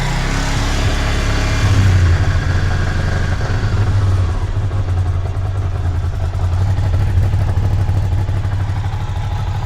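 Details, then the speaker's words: Ducati Monster 600 V-twin just fitted with stock exhausts replacing cut-down loud ones, cold start with choke on: deep even thump at fast choke idle, smooth, no knocks; much quieter, healthy cold idle. "is actually much much quieter i'm really happy with that that's with the choke on because it's 789 degrees but that's much quieter much happier"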